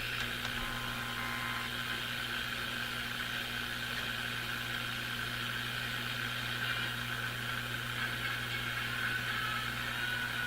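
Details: Airline 62-264-425 vacuum tube radio fed from a SiriusXM satellite radio whose antenna runs on a long wire: constant steady low hum under faint hiss; ground loop hum.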